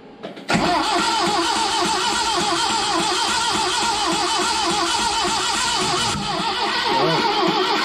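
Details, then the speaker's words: 1970 Datsun 521 with an apparently original L16 engine unrun for years, new Weber carb, electronic distributor and 3-ohm coil: the starter spins it evenly for seven seconds with no firing. No fuel, with dirt coming from the tank. "stop stop stop it's there yeah it's got no gas the U it's not it's got dirt coming out of the tank"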